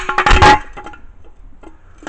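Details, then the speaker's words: Nissan 240SX catalytic converter, removed after a rattling knock when running, shaken by hand: hollow tinny clatter and loose knocks from the broken-loose internal element; replacement cat ordered to pass emissions. "I don't know, this must be a high flow cat or something, but that's the element that's inside of there. And so just rattling around there and sounding like absolute trash."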